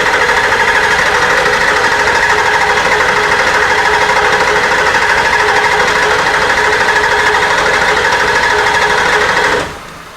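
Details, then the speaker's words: Ford F250 7.3 Powerstroke diesel after injector cup, injector, glow plug and water pump replacement for fuel in coolant: quiet, even idle clatter with no knocks or misses, with air still in the fuel system, until shutdown. "so so it's quiet hear how quiet it is and it's still got air in it it's quiet"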